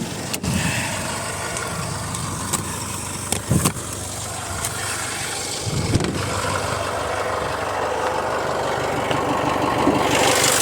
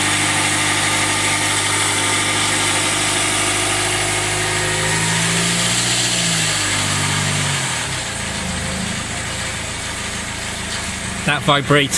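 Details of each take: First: Jaguar F-Pace 204DTD diesel after home rebuild, injector sound deadening cover off: steady idle with loud even injector clatter, no misses or knocks; owner considers it normal, running great. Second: Jaguar F-Pace 204DTD diesel first start after owner's rebuild, no oil pressure reading: uneven, shaky labouring idle settling lower; runs rough, cause not yet found.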